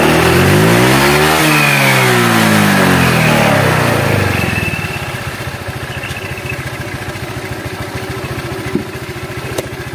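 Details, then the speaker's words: Honda Vario 125 that burns oil after once running dry. Revs rise and fall, and as the throttle closes a crackly rattle comes from the CVT belt drive; the mechanic suspects the roller housing: CVT roller housing rattle. "ada suara kepericik ya pada waktu Los gas nah ini suaranya kedengaranik kayaknya suara rumah roller kayaknya"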